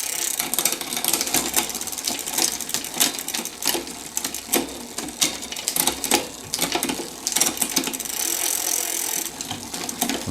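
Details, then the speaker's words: 1987 Mongoose ATB with a 3x6 drivetrain, newly fitted shift cable left a little loose before barrel-adjuster tweaks: fast ticking freewheel, chain clatter and rattles as gears change, with shifts not landing cleanly. Poor shifting from a loose cable. "okay so we got a new cable [Music] yeah it's a little loose I think"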